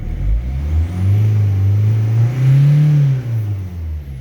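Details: Diesel car that would not start after a fuel filter change, now running after the fuel system was bled of air: it catches and revs up and down cleanly with a smooth low drone. Some bubbles still remain.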